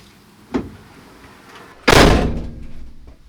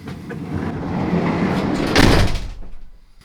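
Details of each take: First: Peugeot Boxer L2H2 rear door slammed after adding Dodo Mat sound deadening: soft thud, then hard slam with short clattery ring-out. Tighter than before but still rattling where it hits the other door. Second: Peugeot Boxer L2H2 van side sliding door after Dodo Mat sound deadening: heavy dull thud on closing with no tinny panel ring, only a faint rattle from loose items in the back.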